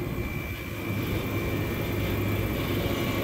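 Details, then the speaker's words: Refrigeration system after pump-down and defrost clock install, pressure control cut-off set near 8 psi: steady rough roar, constant high whistle and uneven low rattle; compressor sounds bad, coil trashed, whole system needs replacing, temporary fix. "this compressor sounds like dirt this whole system needs to be replaced but we're going to try to get it going"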